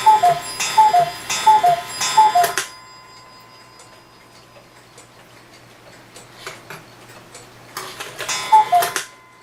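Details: Hebert Herr 8-day cuckoo clock, with its movement oiled, hung on the wall without a pendulum. It gives crisp, even ticking of about 85 beats a minute in short bursts, steady and clean: running normally.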